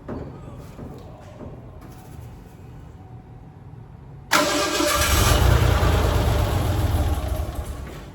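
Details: 1987 Ford Bronco II, unrun for 15 years, started in a shop; quiet lead-in, then the engine catches at once and settles into a steady, even idle with no misfire or knock. Healthy start.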